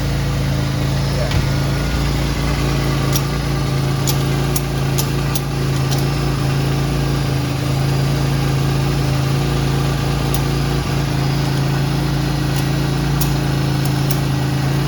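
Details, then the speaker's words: Metro XFi 1.0 L three-cylinder engine on a chassis dyno, being prepared for nitrous: deep rough idle drone with loose puffing; suspected exhaust leak. "can you hear the full race exhaust leak yeah it's nice huh"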